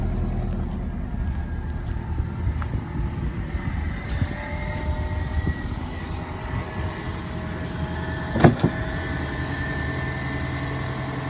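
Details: 2011 Toyota Camry 2.5L four-cylinder, about 367,740 miles, owned since new, cold start at roughly 25°F: steady, low, even idle, no knocks or ticks standing out; normal healthy cold start idle.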